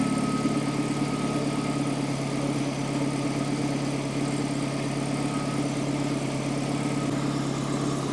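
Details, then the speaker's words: Warm carbureted Datsun 120Y engine before idle adjustment, ignition timing possibly off: steady but slightly fast idle, even hum without misses, above the roughly 600-700 rpm target the owner believes correct; high idle speed. "as you can see the idle speed is slightly high I'm not sure where it's supposed to be I think it's around 600 or 700 or around that Mark so I'm gonna try to lower it"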